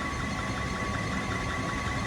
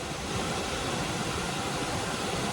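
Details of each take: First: Liebert unit in a server room: a steady blower rush with a thin chirping, squeaking tone as the blower belt slips, from bad pulleys or a loose belt. Airflow read about 1106 ft/min before the belt was tensioned. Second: Liebert server-room unit after the blower belt was tensioned: an even, steady air rush with no squeal, slap or knock. Airflow rose to about 2094–2179 ft/min from 1106 before, a smooth, healthy blower.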